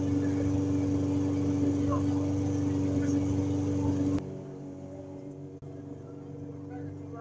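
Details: Briggs & Stratton mower that ran a couple of seconds and died, after it was cleaned and a part that wasn't engaging was refitted: an even, steady buzz then a smooth drop in level, with no stumbling or dying. Now runs healthy.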